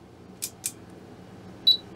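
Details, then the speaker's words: HP 34401A 6.5-digit multimeter after capacitor replacement and further repairs, first power-up on AC: two faint clicks then one short clean beep from the buzzer; meter boots normally. "oh and we got a beep from the buzzer let's take a look at the display"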